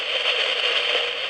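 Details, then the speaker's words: Surplus PNP germanium transistor in a small perfboard noise-test jig feeding a homebrew utility amplifier: dense, hissy crackle like a rainstorm, excess transistor noise while grading devices for quiet ones. "it just sounds like a a rainstorm with this small test circuit a utility amplifier wow what a mess"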